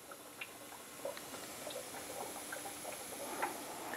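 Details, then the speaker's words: Turbocharged engine, off, during a DIY boost leak test at about 5 PSI: quiet, irregular gurgles and bubbling pops of oil as compressed air reaches and pressurises the crankcase. "first uh the sound of our oil turning around that's because uh some of this compressed air seems to be making it still to our crank case and pressurizing our crank case"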